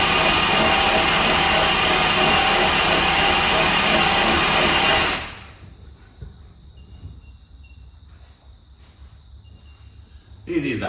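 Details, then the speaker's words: Alcohol blown race car cranked with spark plugs removed after CRC sprayed into the hat: loud, fast, even whirring for about five seconds then stops; engine spins freely with no compression. "Now literally put power to the car, hit the starter, you'll hear and see it wind over, but it'll sound funny and it'll go quick because there's no compression because there's no spark plugs in it."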